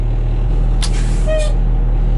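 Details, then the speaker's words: 1986 dump truck, 118,000 miles, 34 years old, first start after purchase, diesel idling with good air pressure and parking brake working: steady low idle with a short clean air release hiss, no leak whistle; normal air brake operation. "right you got a good air pressure so that's good parking brake seems to work"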